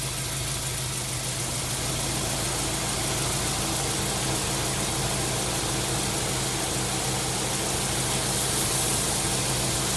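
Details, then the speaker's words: 1999 Subaru WRX GF8, EJ205 turbo flat-four, warm after a coolant flush, cap on and system under pressure, running until the fans cycle: smooth, steady idle with an even burble, no misses, knocks or ticks; normal warm idle. "Now the cap's on the system. I'm just going to run it now until the fans cycle again. It's under pressure."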